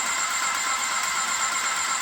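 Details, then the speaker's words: Airless paint sprayer switched on in prime, pressure dial set, running fluid through after cleaning: steady even hiss with faint high whistle, no knocks or surging; pump priming normally. "Turn it on, got it in the prime. I got it over here where I want it on the dial, and we're just going to run this through the machine."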